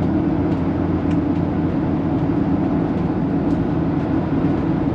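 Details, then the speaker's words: Hymer 560 4x4 motorhome, nearly 200 hp, about 2,600 miles, at steady motorway speed: constant low roar and hum from coarse all-terrain tires, no knocks or rattles, cabin otherwise quiet; normal tire road noise. "Y también se ha leído que cuando hay neumáticos ásperos como este, se oye ruido, y eso es completamente comprensible. Pero todavía está en silencio."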